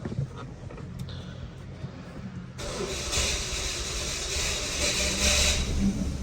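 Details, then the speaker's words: 2014 Dodge Dart 2.4L MultiAir just after a used brick was installed, waiting for oil pressure to build in the brick: the starter churns evenly for seconds without the engine catching; extended cranking with no start, and it later runs rough with suspected spark knock. "It's really trying. Yeah, my fear is just that I'm gonna burn the starter up."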